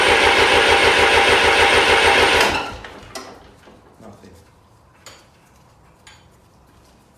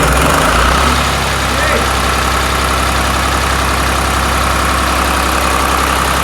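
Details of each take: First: 1993 Lombardini diesel generator during restoration: steady, even cranking about three turns a second for two seconds with no firing; no diesel reaching the injectors; cranks but will not start. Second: Restored 1993 Lombardini diesel generator with test lamp connected: loud, even diesel clatter at a steady rate with no misses or knocks; running smoothly and healthy.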